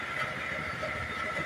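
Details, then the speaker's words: Suzuki motorcycle after overhaul for a dropping kicker and noisy running; the fault was inside the engine (pilot/needle bearing). Steady, even engine note with smooth buzzing, no knocks or rattles; an impressive sound, back to how it was before; normal running. "Ayan na talagang napahanga sa tunog Ayan na mga idol may makapaniwala na bumalik sa dati Yung kanyang motor"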